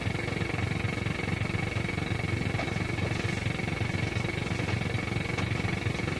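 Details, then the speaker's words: Grundig Transistor 1001 portable radio on long wave: steady rough pulsing buzz with thin high whistle, unchanging; powerful external interference, UPS ruled out, source unknown, radio itself fine. "You can hear some of that powerful interference right there. That's pretty powerful stuff."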